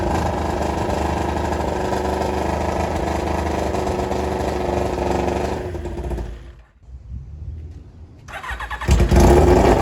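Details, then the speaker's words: 1995 Kawasaki ZX7 motorcycle brought back to life after sitting, water had got into the engine and was flushed with transmission fluid; running with muffler removed, loud uneven open-pipe burble with ragged firing, nearly stalls then catches and revs; rough running. "All righty. As you guys can hear, it is not sounding amazing."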